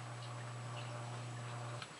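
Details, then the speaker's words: Sump pump after installing a new quiet check valve with heavy-duty half-pound spring: steady low pump hum cuts off cleanly at shutoff, totally quiet, no bang or water hammer; normal shutoff after repair. "There, it just turned off. It's totally quiet. There was absolutely no noise and no water hammer."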